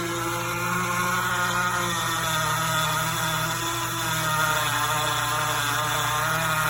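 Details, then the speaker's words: GE Profile Opal 2.0 countertop nugget ice maker while making ice: a loud, steady hum with several fixed tones and a constant whirr, no knocking; it simply runs noisily, cause unclear. "The ice maker is making this bigger sound."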